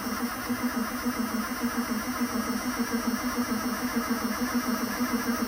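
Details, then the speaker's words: 1991 Ford F250, after sitting: fuel pressure, air and spark confirmed, but cranking is even and sluggish, about five pulses a second, no start; owner suspects it isn't spinning over fast enough. "Should be spinning over fast enough. [laughter] Okay, it may it may not be spinning over quite fast enough."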